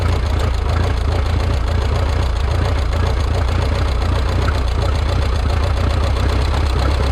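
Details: Rebuilt Minneapolis Moline 335 tractor engine, warm (gauge about 140°), tappet gaps readjusted warm: loud, deep, chuffing idle with an uneven, stumbling beat, not firing quite right; sounds like retarded ignition timing needing advance.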